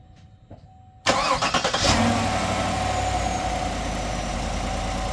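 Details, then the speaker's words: Truck cranking on a new Lipower solid-state battery replacing a weak lead-acid one; brisk rapid starter beats, then it catches and settles to a smooth, even idle. It cranked faster, with voltage dropping only to 12.28 V versus 10 V before. Normal. "I definitely noticed that it cranked a lot faster."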